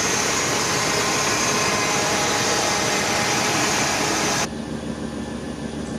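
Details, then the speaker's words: Chevy 350 Vortec Suburban, sat for years, after new cap, rotor and full ignition and fuel system: steady, even idle hum, no misses or knocks, then quieter tail; idling smoothly and healthy. "so as you guys can tell it's running real smooth right now"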